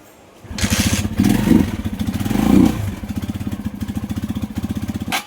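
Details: Rusi Macho 175 single-cylinder after water was cleared from the tank: engine catches with quick even pulses, revs briefly, settles; normal running.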